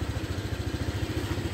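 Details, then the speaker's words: Honda Vario 125 LED scooter; the complaint is that the engine warning (MIL) code light sometimes comes on while riding and the speedometer needle does not move. At idle there is a steady, even low putter with no knocks or rattles. Engine, lights, horn and indicators are all normal. "coba kita Nyalakan dulu mesin juga normal lampu klakson lampu sein juga normal semua suara mesin juga halus"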